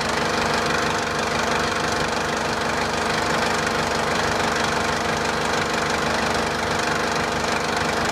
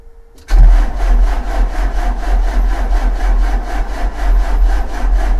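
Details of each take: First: 2004 JCB 2CX (212S) with Perkins Tier 2 four-cylinder diesel at idle after the weak electric lift pump was replaced: a steady, even clatter with no misses or knocks. The sediment bowl now stays full of fuel. Normal diesel idle. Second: 2004 JCB 2CX (212S) with Perkins Tier 2 diesel and Bosch injection pump, cranking steadily after glow plugs without catching. It is a no start after the cold-start solenoid wiring was fixed; a weak electric lift pump is suspected, and a leaking sediment bowl was later found admitting air.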